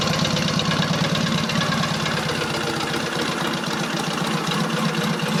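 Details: Rebuilt Matchless G11 twin with gear-driven timing, tick-over lowered, oil return checked, before road test: steady relaxed low idle beat with light mechanical chatter, no heavy knock; normal idle.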